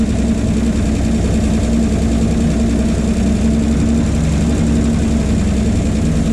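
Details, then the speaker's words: 1951 Chevy 1430 pickup straight six, previously seized after sitting since 1976, freshly freed and run on a jerry-can fuel feed with idle turned up: steady, even low rumble, no knocks or misses; idles smoothly, though the replacement fuel pump is thought bad. "oh yeah we have gone from a stuck motor to uh well it runs pretty good"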